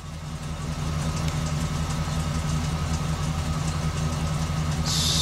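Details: 2005 Chevy Express G2500 van, P0300 random misfire and check engine light, runs rough despite new plugs and wires, fuel trims suggest lean; V8 idles with low uneven stumbling lope.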